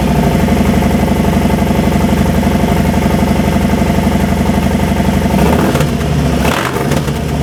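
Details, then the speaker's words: 2018 Harley Softail Fat Bob, Milwaukee 8 V-twin, just fitted Two Brothers exhaust, Stage 1 tune not yet loaded, in garage: deep loud lumpy idle, rising cleanly with blips and settling back; healthy. "Sounds pretty mean to me. We'll work on it tomorrow. We'll get the tune in it."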